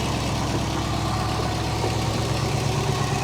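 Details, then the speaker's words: Late-1990s GMC/Chevy K3500 after a minor lightning strike, running on stale gas with a straight-pipe exhaust and a burned fuel pump relay pin wiggled to run: steady V8 rumble, some injector ticking, no deep knock; normal idle. "it is straight pipe so it sounds good for running on stale gas I would say is pretty good you can hear the injectors have some knock to them from ticking but I mean in general it's not terrible"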